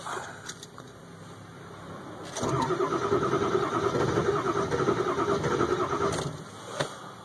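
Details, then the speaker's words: 2002 Ford F350 7.3 Powerstroke diesel, cold start at about 34°F with snow, glow plugs warmed two to three minutes without cycling; long even cranking for about four seconds, never catches, white smoke reported. Cranks, no start; cause suspected, not confirmed. "that's what it does it keeps trying to but it's not so I will cycle the key that point and hopefully we'll let the Lo plugs WM up a touch"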